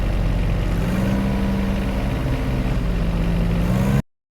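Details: John Deere 1025R diesel tractor surging and stalling with throttle: speed rises and falls slightly instead of holding steady; cause a clogged main fuel filter under the floorboard (dirt, grass, dirty diesel), fixed by replacing it.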